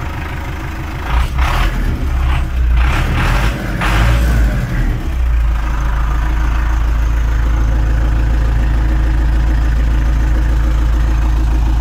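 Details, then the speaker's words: Fully cold MTZ-82 tractor started on a new warranty-replacement 4 kW reduction starter (battery 12.3 V, drops to 10–11 V cranking): rough churn catching, then a steady even diesel idle; owner notes an unfamiliar whine at start. "общем друзья все работает и отлично работает вот только как-то непривычно такой звук при пуске вроде воет"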